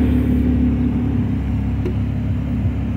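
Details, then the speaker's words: 1972 MGB, SU HIF44 carbs after air-fuel mixture screw adjustment, air filters off, driving: steady low exhaust rumble, even, no misses or hesitation; previous off-idle stumble gone, running smoothly. "it's purring it is purring like a kitten wow listen to that"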